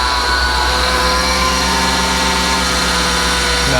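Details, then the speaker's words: Ford F650/750 chassis truck (airline food-delivery body), diesel at idle: a constant high whine over the steady idle not heard the day before; suspected power steering pump whine, possibly after fluid was topped up. "all right now I hear power steering noise I didn't hear that yesterday at all wow wow [Music] maybe this thing needs a power steering pump definitely did not hear that yesterday when I pulled it in"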